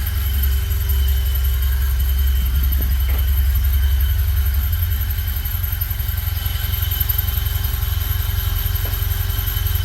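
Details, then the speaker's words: 1974 Alfa Romeo Spider Veloce, 10K original miles, after 30 years' storage and fuel pump repair, warming up without air cleaner: steady even low idle, smooth regular pulse, no misses, knocks or ticks; normal idle. "It's idling pretty nicely. Check for leaks before. Fuel pump is good. It's idling."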